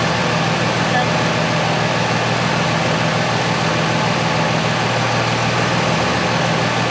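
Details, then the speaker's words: 2006 Ram 2500 with a 5.9L Cummins at 130,000 miles, idling just after refilling the power steering/hydroboost fluid and refitting the cap that had apparently fallen off; it had been noisy and vibrating. Now a steady diesel clatter with no pump whine, so normal operation. "okay well that was easy it's fixed"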